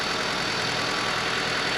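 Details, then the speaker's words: Honda Civic during battery check, battery near 75% capacity: start slightly slow cranking, then steady, even idle with faint hiss, no stumble or knock; engine idling healthy, charging system looks good. "it's a little slow but it sounded reasonably healthy for a start"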